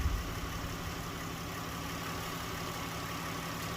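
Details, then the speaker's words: 2012 Dodge Grand Caravan after fuel pump relay bypass cable fitted in the TIPM fuse box: starts and settles into a low, even idle hum with steady rhythm, no stumbles or knocks; normal running. "So now we're going to test startup. Now it runs. As you can see, everything's fine with this wiring bypass,"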